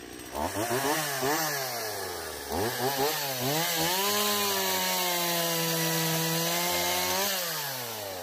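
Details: Stihl MS170 chainsaw cutting wood after a new fuel line and a swap from a non-adjustable Chinese carburetor to the original Zama: crisp throttle blips, a clean steady pull through the wood and an easy return. The earlier no-start is fixed.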